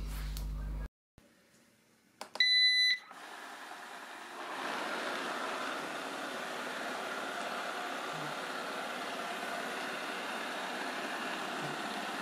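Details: Eufy RoboVac 30C after replacing the side brush motor gears (fix for clicking/ratcheting): a few start-up beeps, then an even, steady whir with no grinding or clicking; side brush drive runs smoothly, much better.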